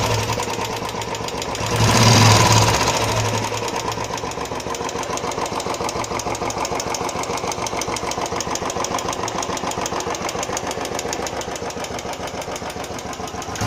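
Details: Royal Enfield Classic 350 at idle after first service: quick even tick about three per second over the single-cylinder beat, appearing after ~20 km riding, vanishing, then returning after 150 km; owner suspects tappet noise.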